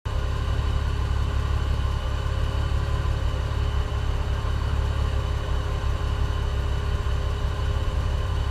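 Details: OMC 4.3L V6 marine engine, slow cranking traced to ~6 V drop across jumper cable, not the starter; after charging the cranking battery it fired: deep, even engine note with no misses or knocks; normal running.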